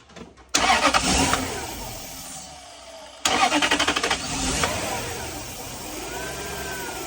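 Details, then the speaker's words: 1998 Toyota Celsior (JDM Lexus LS) crank-no-start, carb cleaner poured into a vacuum port: two cranks, catches briefly then dies; fuel-related, fuel pump suspected, aftermarket crank sensor also distrusted. "So there you guys have it. It's a fuel related issue."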